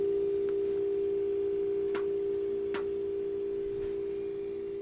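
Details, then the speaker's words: Belmont 636 radio receiver during IF alignment: steady pure tone around 400 Hz from the signal generator over soft static, hiss rising as IF transformers are peaked and sensitivity improves. "you can hear the static and hiss getting louder as well don't you hear that"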